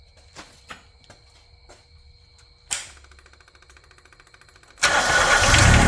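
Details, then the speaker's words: Yanmar 3TNV70 diesel swapped from JD Gator into CAT 300.9 mini excavator, first start without glow plugs or air cleaner connected: few quiet clicks, brief crank, catches at once into an even quiet clatter; no smoke. "Well, it cranked right up. No glow plugs It's very quiet. A lot quieter than the other engine."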